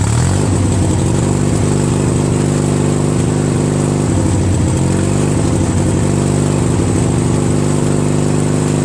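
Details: Craftsman DYT4000 lawn tractor with a 14hp Briggs opposed twin repower, electric PTO engaged with the mower deck belt off. Steady twin beat about 3.5 pulses a second with slight speed wobble, no knocks or squeal. Engine fine, PTO likely spinning freely.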